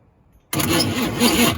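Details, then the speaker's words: Long-neglected Chevy K5/K10 off-road project engine with a struggling starter and weakening battery cranks with a steady churn but never fires; no spark at a test plug, water found in the cylinder, suspected cause of the rough turning over. "But sorry, pointing the camera random, but no spark."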